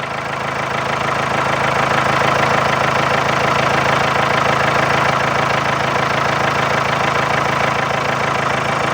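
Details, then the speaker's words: Ageing diesel car with knocking: steady idle with sharp even knock about three times a second over the clatter; knock lessens after running and revving; scanner value reset suggested as the fix. "Knocking थोड़ी बहुत है लेकिन अभी देखोगे ना आप थोड़ी सी कम होने लगेगी"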